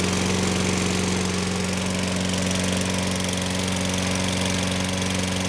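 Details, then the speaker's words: Toro Personal Pace 6.5 GTS lawn mower, Tecumseh single-cylinder, after carburetor cleaning, started after several pulls: smooth, steady putter at constant speed with no misses or hunting until shut off; self-propel works, running properly. "all right took a while that sounds better all right so propelled out here oh yeah sounds good personal pace run works well"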